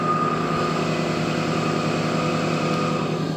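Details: Carruthers AE5000-2D test run with blades and belts removed, auto mode; 2 hp spiral motor drawing 1.5 A no load, belt motors about half an amp: steady mechanical drone with even whirring about three to four beats a second; all motors and electronics normal.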